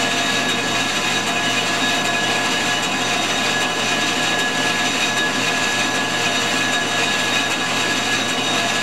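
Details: Ford 460 flywheel being resurfaced on a G0776 lathe: steady even hiss of the facing cut with a constant high tone and no chatter or squeal; a smooth, healthy pass.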